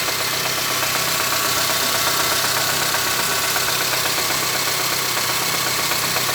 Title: my engine making knocking sound